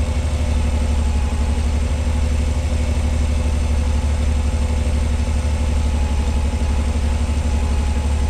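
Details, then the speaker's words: 1986 Pontiac Fiero SE V6, cold start: steady, fast, even idle at 1,220 rpm, read on a digital timing light tachometer, slowly coming down as it warms; chasing a high-idle problem. "I'd say this is all right. She's idling at 1,220 RPM. And it sounds like it. So, we're going to let her warm up. Looks like she's slowly starting to come down."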